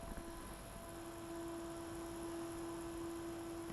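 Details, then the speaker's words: New dual ball-bearing replacement cooling fan for Magnavox ZV427MG9 DVD/VCR on the bench at 7.4 V, 100 mA, microphone at same distance: soft steady whir, quieter than the original; normal. "we're about the same distance it's definitely quieter than the original one was"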